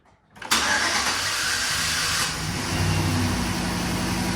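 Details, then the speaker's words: 2011 GMC Sierra, about 180–190,000 km, restarted after new NGK spark plugs and wires: catches and settles into slightly uneven, wavering idle; rough idle remains, owner suspects fuel system, maybe injectors next. "Yeah, I think it's something to do with the fuel system. We'll maybe go to the injectors next weekend."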